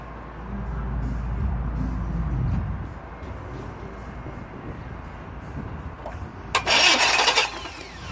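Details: A 2001 Chevy S10 with a 4.3 L engine gives low, labored cranking, then a brief burst, but won't run. The cause was a loose distributor cap giving poor contact.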